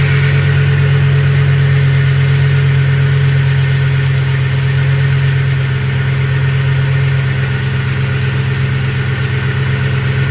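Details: 2007 Ford F-150 4.6L 2-valve V8 idling with a lumpy, uneven beat from a dead cylinder: P0306 cylinder 6 misfire with the engine shaking, diagnosed by swapping coils. It was ultimately fixed without parts, root cause unknown.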